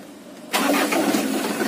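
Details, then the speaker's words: Auction 2019 HDL chassis truck, started: brief quiet, then it catches on the first crank and settles into a steady idle; engine still fairly smooth. "sekali Star langsung hidup minggu sekali sekarang tapi hidup ya dan mesinnya masih lumayan halus"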